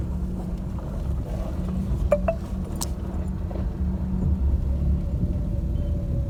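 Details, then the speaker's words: Maruti Suzuki Alto after suspension repair (previously knocking, clunking when steering), driven on a rough unpaved road: steady low road rumble with only a light keychain jingle and slight door panel rattles, no suspension clunks or knocks. "तो देख सकते हैं गाड़ी में कोई भी आवाज नहीं है सिर्फ एक किचन आवाज कर रहा है और छोटे मोटे जो इसके डोर पैनल्स होते हैं उसमें से सिर्फ थोड़ी थोड़ी आवाज आ रही है बाकी सस्पेंशन वाइज कुछ भी इसमें नॉइस नहीं है"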